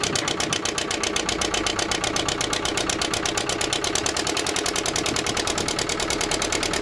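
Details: Old twin-cylinder diesel vibratory roller that broke down about 20 years ago, after running a while: quick, even, steady beat from both cylinders with no misses; normal idle, earlier second-cylinder miss suspected from injector debris.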